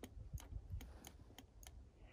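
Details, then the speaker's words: FX-4CR 20W ham transceiver in the field on CW: sharp, dry, uneven clicks as the transmit/receive relay switches. It is not a QSK radio. Relay switching is normal, though not ideal for CW. "you can hear a relay clicking. So, this is not the best for the real CW, so to say, operation, but I mean it's just fine."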